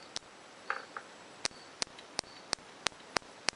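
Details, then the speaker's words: 1981 Suzuki GS850 ignition test, harness connected, ignition on, points opened by hand; sharp, crisp snaps about three times a second as both coils fire cleanly and strongly, normal ignition spark. "kind of hard to see but you can hear it so the coils are firing both the coils are good this should make it run"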